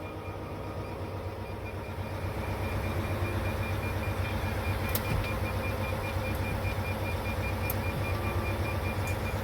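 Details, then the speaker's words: Volvo semi truck diesel, failed start: faint high beeping repeats steadily over low engine sound, the low-battery warning; neutral not detected, batteries need more charging. "no it didn't start you can't hear the the low battery going off in the"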